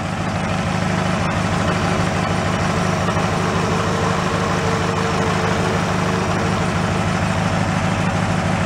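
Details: Mid-1980s Snapper riding mower, transaxle previously locked up, idling while the shifter is moved through the gears: steady, quick engine beat with no clunks or grinding. The transaxle sounds healthy.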